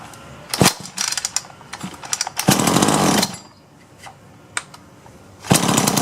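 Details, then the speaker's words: Solo 643IP chainsaw pull-started with primer bulb pumped: several bursts catch briefly and die without running on. Owner suspects worn piston ring/low compression, not confirmed. "it's trying so I think it's getting gas but even when I put gas directly into it that's like it tried for a couple of times but that was it so I think it needs a piston ring"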